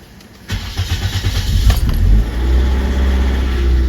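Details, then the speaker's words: Engine start during an oil-filter experiment, testing whether a different filter removes the 1–2 second dry start before oil pressure builds; the oil lamp stays on a few seconds. A brief dry metallic rattle, then steady idle: dry start rattle. "So we're going to see if we can hear that rattle, that dry start."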